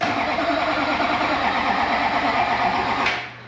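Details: LB7 Duramax diesel after installing used injectors, hunting an internal fuel leak: starter chugs unevenly for about three seconds without firing; crank no start, suspected lack of fuel with air in the system.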